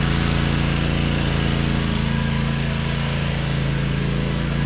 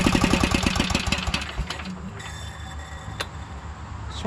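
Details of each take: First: 2012 Toro Timecutter SS 5000 zero-turn with Kawasaki twin, engine cover on, after fixing the rockers and adjusting the valves: a smooth, even, steady hum with no misses or knocks, now running on both cylinders. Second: 2012 Toro Timecutter SS 5000 zero-turn mower (model 74630), twin-cylinder engine: uneven, lumpy firing about four beats a second that fades out. Swapped coils show it is not a spark problem; one side is dead. Running on one cylinder.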